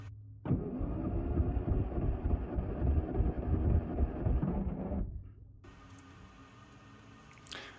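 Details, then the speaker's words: Classic Mini Mark III 998cc, towed in as a crank-no-start with smoking, during a compression test on cylinder 1 with the throttle open: even starter cranking about three beats a second for five seconds; 115 psi; normal cranking compression. "I'm going go ahead and open the throttle and we'll do compression test for cylinder 1"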